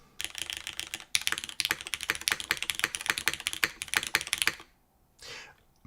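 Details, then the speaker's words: Blaine V2 mechanical keyboard in top mount configuration: crisp, even clacks at a quick typing pace with a clean, consistent tone on each keystroke, the best-sounding mount so far. "Mhm, top mount sounds the BEST SO FAR."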